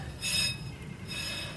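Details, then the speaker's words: Car just fitted with new brake parts after original caliper seized: two short high scrapes repeating with wheel rotation; owner wonders whether the brand-new rotor is warped; brake rubbing scrape. "Well, that's the problem. That's why I had the problem with the original. Oh no. What's warped?"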